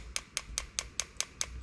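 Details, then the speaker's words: MAC boost solenoid on auxiliary output 5, pulsed from an ECUMaster Black ECU output test: sharp, crisp clicks about five per second over a quiet background; silent when unplugged, so the valve is cycling normally. "Our boost solenoid is in auxiliary 5. So we're going to go test outputs. We're going to go auxiliary 5. And here's the valve."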